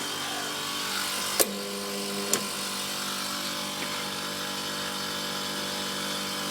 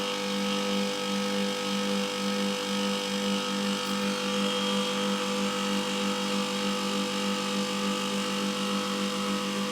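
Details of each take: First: Milk-cooling refrigeration unit's condenser fan motor hums but does not spin, drawing 3 A against a rated 1.2 A. A click, about a second of electrical hum with no airflow, then a click off. The old motor's front bearing had failed (seized). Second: Milk-cooling condensing unit running after a new condenser fan motor and correctly sized secondhand blade were fitted; the old motor's front bearing had failed. Steady even hum with smooth fan rush and no rattles: normal running.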